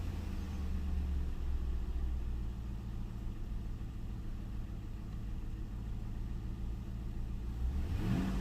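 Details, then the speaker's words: Ford Town Car, daily work car, after replacing the bad coil pack on cylinder 8 (third new coil pack): steady low, even engine hum with smooth rev rise, no stumble; misfire gone, normal running. "so all right that's done let's see what it sounds like now a little bit dirty it's a work car use this thing every day every day until i have a misfire [Music] nice and smooth"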